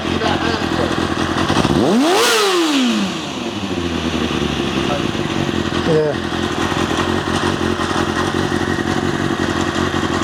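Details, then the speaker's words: Kawasaki ZXR400 after carbs stripped, jets cleaned and new air filter: clean blip, then uneven lumpy idle and stumbling revs; bogs below about 3000 rpm, owner suspects blocked idle jets or mixture screws. "it sounds like it's sort of off running on free revs cleanly if it's above sort of 3000 RPM tight if you give it Full Throttle below that it tends to bog for slight hesitation"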